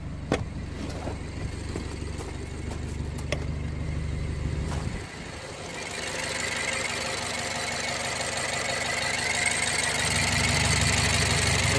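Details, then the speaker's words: 2008 BMW 116i E81, 1.6 petrol, which had a rough idle misfire with code 29D0, after replacing the faulty injector: the engine catches and settles into an even, steady idle with no stumble. Repaired and running smoothly. "running really smooth now I'm going happy actually to say the problem e6 and to also say that the only problem was the injector"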